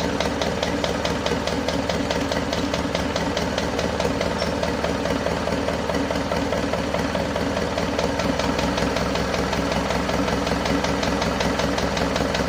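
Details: Isuzu Panther 2.5 diesel after overhaul with NPR pistons and rings, turbo and intercooler upgrade, first start after sitting nearly two weeks: steady idle with light quick tek-tek ticking, likely a lifter not yet fully pumped; oil pressure normal.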